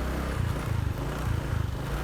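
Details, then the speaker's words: Honda Vario 125 scooter that was hard to start and sputtered on cold mornings, after replacing the fuel pump motor and filter: small clean, even revs settling back without stutter, now responsive with normal fuel pressure. "Jadi perbedaannya setelah diganti dinamo sama filternya, ini langsung responsif teman-teman ya,"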